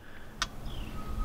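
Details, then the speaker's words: 2017 Kia Forte (code P0017), exhaust-bank oil control valve actuated by a Topdon Phoenix Lite scan tool with ignition on, engine off, listening close to the engine: faint crisp tick about once a second as the OCV cycles; valve working normally. "So I'm gonna be quiet and you guys are gonna listen closer to the engine to hear the clicking of the OCV valve."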